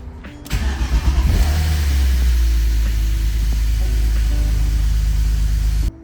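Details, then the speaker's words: BMW E46 drift car restarted after flashing a new ECU tune: it cranks briefly, catches cleanly and settles into a steady, even low rumble with no misses or knocks. Starts and runs normally. "She runs. Tune successful. So we'll see how well it performs"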